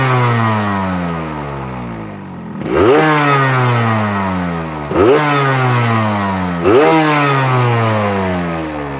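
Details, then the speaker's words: Same hard-starting motorcycle on its standard exhaust: three crisp throttle blips rise and fall smoothly, picking up cleanly and returning to idle without stumbling; the engine sound is judged not too bad, fairly normal. "suara mesinnya enggak terlalu parah sih nggak terlalu parah masih wajar-wajar"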